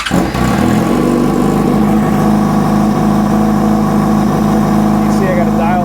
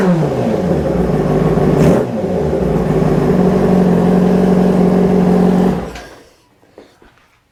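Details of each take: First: 2005 Yamaha R6 four-cylinder idling on vacuum sync gauges before adjustment: lumpy, slightly uneven pulse with steady hum; throttle bodies one and two close, three and four far off, banks not too bad. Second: 2005 Yamaha R6 after throttle body sync and valve adjustment: crisp, even revs rising and falling cleanly on throttle blips, then settling; all four throttle bodies pulling equal vacuum.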